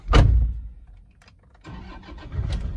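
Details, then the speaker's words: 2012 Toyota Kijang Innova G diesel manual, started from the cabin: short crank, then the diesel catches and settles into a low steady idle without knocks or grinding; starter and start-up normal. "Starternya normal, torque chair, tidak ada masalah."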